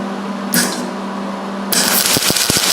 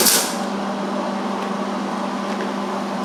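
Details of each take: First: MIG welding on roll cage tubing with heat set at 6 and wire speed fast. Irregular harsh popping and stuttering crackle instead of a smooth sizzle, with the weld sitting on top: wire feeding too fast, heat too cold. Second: MIG welding a butt joint on roll cage tubing: steady, even frying hiss over a low hum with no popping or sputtering, a properly tuned weld. The bead looked good outside, and penetration was checked via an inspection hole.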